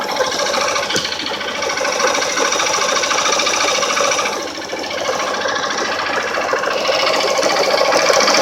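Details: 150 cc motorcycle single at idle: fast, steady tapping about three a second, mechanic called it normal; owner concluded worn connecting rod bearing in the bottom end, knocking at low idle and under load uphill, problem since resolved.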